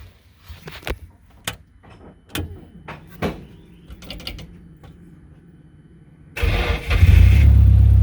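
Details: Nissan S14 240SX with SR20DET, first start after full engine rebuild and retiming (dots realigned): a few clunks, then fires straight away into a loud steady run; power steering rack leaking.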